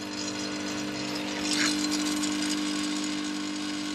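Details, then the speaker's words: Early-2000s Snap-on 60 A 12 V workshop battery charger after timer switch repair, running with its fan: steady mains hum with a buzzing rattle that rises when switched to high current; something vibrating inside, possibly loose. "don't like that it vibrates [Music] i don't know why that would be unless it's just loose"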